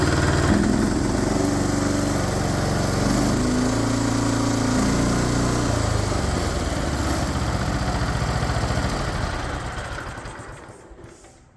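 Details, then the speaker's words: Cub Cadet with a non-original engine swapped in from a red IH Cub, first start attempt after the swap: steady, even chug with no knocks or misses, then winds down cleanly at shutoff; runs healthy. "I'm pretty happy um runs pretty good I'm impressed um"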